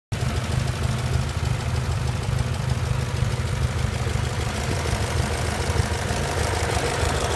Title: E39 M5 Rod Knock?